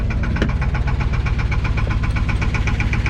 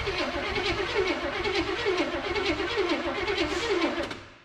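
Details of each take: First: Abandoned 1984 Chevrolet K30 1-ton with a 454 big-block V8, inspection cover off, about 7 psi oil pressure: sharp steady knock around four beats a second over a deep idle, rod knock; engine judged cooked. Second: Abandoned 1984 Chevrolet K30 one-ton 454 big block with Quadrajet and HEI, first start attempt after sitting a couple of years: steady rhythmic cranking about one beat per second, no starter grinding or whirring.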